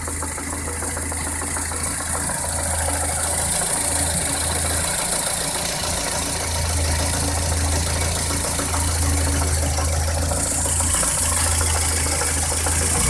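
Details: VAZ 2108 engine idling with a loose, uneven knock about three per second over the hum; crankshaft knock suspected, deep bottom-end, not confirmed.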